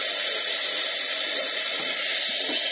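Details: Radio picking up a steady static hiss from a fake Xiaomi phone charger loaded to about 2 A; a Lenovo charger gives almost no noise; the noise is blamed on the charger's rectifier assembly instead of a Schottky diode.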